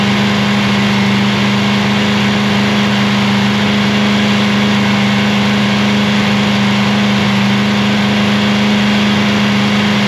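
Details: Free Chevy 327ci V8 on a cold morning, about -3°C, after a cam and lifter swap, during flat-tappet cam break-in. Steady, even rumble held at raised idle with no ticking, knocking or misses; sounds healthy.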